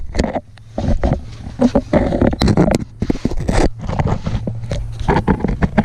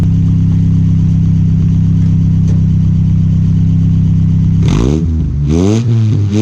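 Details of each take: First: 1986 Nissan 720 pickup with Doug Thorley tri-tube header and no exhaust pipe fitted, driven to exhaust shop: loud, raw, popping bark that surges with each throttle blip; open header exhaust. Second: 1986 Nissan 720 pickup with new Doug Thorley tri-tube header, 2.25 inch pipe and Blue Streak long glasspack: deep, even exhaust rumble at idle, then clean revs rising and falling smoothly; louder than before, sounds healthy and sealed.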